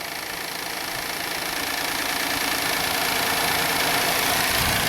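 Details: 2016 Hyundai Santa Fe V6 GDI, 125,000 miles, P0018 timing code, retarded camshaft: with the intake cam control solenoid grounded to advance the intake cam 55 degrees, idle is uneven and lumpy with a steady stumble about four times a second, misfiring; over-advanced intake cam.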